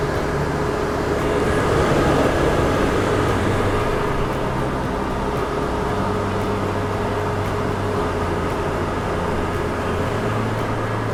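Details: Suburban RV furnace on the bench after blower motor replacement, powered at 12 V with the thermostat leads joined and no gas connected; the new fan motor hums steadily and evenly with no grinding or wobble while the board tries to ignite. Normal blower run.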